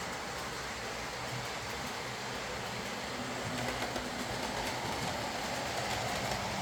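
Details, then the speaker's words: Old Lima Class 40 model locomotive in BR green on a replacement motorised chassis after the original front bogie failed; quiet, even whirr with light rail clicking, no stutter or strain, no pickup issues, low current draw, smooth running. "In fact, I'd go as far as to say this may be the best running Lima model I've come across. It pulls away nice and slowly, it's quiet, it runs smoothly, there's no pickup issues, and it's got a pretty low current draw, so you know, what more do you want?"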